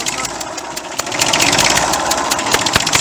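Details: 1959 Fordson Dexta diesel tractor: sharp puffing ticks about three per second over the idle, compression blowing past the injector seal, with the sound also traced to the exhaust manifold and the water pump audible; injector seal leak.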